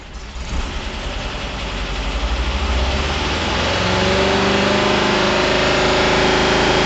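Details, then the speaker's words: 1975 Porsche 914 with Raby-inspired 2.1L air-cooled flat-four, first start after sitting 3 years, on old gas, cold: catches and settles into a lumpy, slightly uneven idle that steadies as it warms; running a little rich. "take a little bit to warm up. Ooh, running a little rich. Better than running lean."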